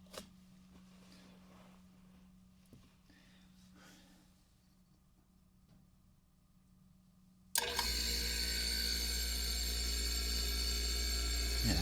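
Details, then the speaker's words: 80s or 90s Canadian GE dehumidifier, curbside find, fan motor 120 V 8 A 60 Hz 1500 RPM seized; near silence, then the compressor kicks on sharply about seven seconds in and settles to a steady even hum; normal compressor start and run. "Oh, meanwhile, you can hear a nice compressor startup sound."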